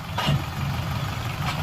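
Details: Hyundai i20 idling: rough, rumbling growl from the gearbox that changes as the clutch is pressed; gearbox oil had fully dried up from leakage, fixed by opening and servicing the gearbox.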